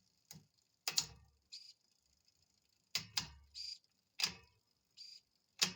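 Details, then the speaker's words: L-Twoo Ae wireless-to-cable rear shifter on a 9-speed cassette using the app's 10-speed setting, after adjustment: short crisp servo whirs, each followed by a clean click as the chain drops onto the next cog; shifting properly. "Alrighty, so that's working quite nicely there."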